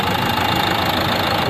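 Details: Renault Duster 110 PS diesel, mornings: sharp metallic tak-tak injector knock fast and even over idle, with white smoke; no check light, customer already fitted a new part, problem persists; diesel injector knock.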